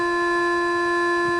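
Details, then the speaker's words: Yaskawa Sigma-5 rotary servo after only the tuning-less function, no auto-tuning or notch filters yet, during a program jog move: loud steady hum near 350 Hz with bright overtones; servo oscillation from untuned gains. "There's some oscillation at this point."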